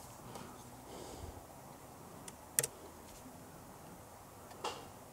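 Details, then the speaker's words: Citroen Xsara Picasso with over 512,000 miles, on the ramp, A/C compressor clutch actuated from a diagnostic tester: quiet background, then a sharp click as the clutch pulls in and another a couple of seconds later; normal A/C compressor clutch engagement. "Refrigeration compressor clutch that's an interesting one should we see if the clutch for the aircon works"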